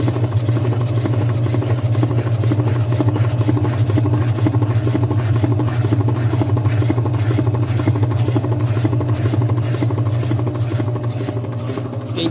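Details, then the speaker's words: Top-load washing machine on spin cycle: steady low motor hum with rhythmic sloshing churn, no rising spin whine; basket stopped, only agitator turns. Technician suspects burned shift actuator. "não sei se vocês conseguem ver claramente as distâncias eu vou aproximar para você ver agora o sexto tá parado só tá girando isso aqui"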